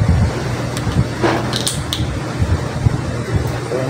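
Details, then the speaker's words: Stand electric fan on speed one: steady hum, blades won't start, only turning slowly; fixed by replacing the start capacitor (1.5 µF 450 V). "so unang suspect natin itong capacitor ito yung unang palitan natin ng bago Wala hindi na kailangan natin tester so Ayan so so tingnan mo kung hindi umandar umugong"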